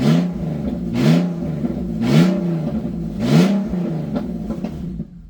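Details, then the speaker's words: BMW E46 330ci revived after sitting six years: three sharp revs about a second apart with a loud, raspy open exhaust roar, because the catalytic converters are missing. "This is the reason it's so loud. The cats are missing from there, but they are not missing from here up there."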